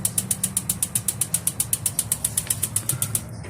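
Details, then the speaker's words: Tankless gas water heater with correct water pressure; igniter ticks about four times a second for three seconds but no burner whoosh; spark present but burner won't light, gas solenoid suspected not opening, weak batteries. "alright guys so we got this issue with this water heater uh you can hear the igniter but it just won't light"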